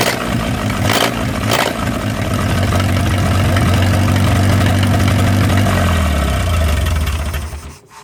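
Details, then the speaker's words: Old flathead 4-cylinder (1937 Willys) generator engine revived after sitting 15–25 years; starter cranks briefly, engine catches right away and settles into a steady, even low idle with no knocks or misses. Normal start and idle; cooling system still needs work. "Well, now that I got it running pretty good, I need to work on the cooling system a little bit."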